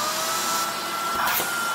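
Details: Shark vacuum with a new or refurbished replacement motor assembly, just installed and switched on: clean steady high-pitched whine with even airflow rush, no grinding; quiet, normal motor running.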